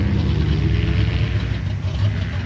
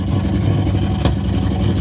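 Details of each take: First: 1965 AMC Ambassador (Rambler), restarted with a little choke while running off a temporary fuel tank, no muffler fitted: soft, even low purr at idle with a steady beat and no knocks, ticks or hiss; normal smooth idle. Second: '65 AMC Ambassador after revival, fresh oil, running off a tank with no muffler and some choke: loud, open, bassy idle that revs up well, with a sharp pop out the pipe. Unmuffled idle with exhaust pop.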